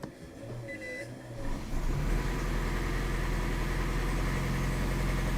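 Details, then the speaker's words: 2008 Toyota Prius, first start after timing chain replacement: catches after a brief crank and settles into a steady, even idle with no knocking or rattle. Check engine light on but no trouble codes. "okay it didn't shut off all right turn it off"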